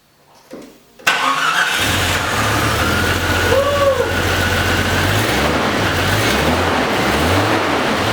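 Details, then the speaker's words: Jeep Cherokee crank-no-start after going through a puddle, with cam position sensor diagnosis and distributor rotated: fires right up without throttle and settles into a smooth, steady idle; normal start and idle. "That's perfect. It fired right up without any throttle, and it idles perfectly."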